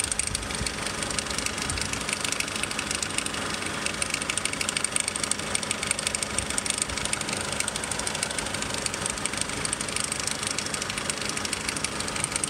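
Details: 2002 Nissan X-Trail, warm after about 20 minutes of driving: light, fast metallic rattle about twice a second over a steady idle. Owner asks whether it is the timing chain; cause unconfirmed.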